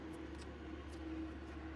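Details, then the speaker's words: Custom CNC milling machine electrical cabinet cooling fan switched on after wiring to VFD: smooth, even whir with steady low hum, no rattle or wobble, pulling good air in the right direction. "So we click our switch on, and I already hear the fan. She's going. Blowing the right direction."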